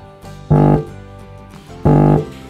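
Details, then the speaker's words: Polytron active speaker that powers on but gives no sound: touching the power-amplifier input gives two loud bursts of low buzzing hum, so the power amp works and the fault likely lies in the tone control. "suara dengung, teman-teman. Bunyinya mendengung. Nah, ini maksudnya adalah catu daya. Tunggu, catu daya lagi, ya. Ini maksudnya penguat daya, ya. Itu bagus, tenaganya bagus."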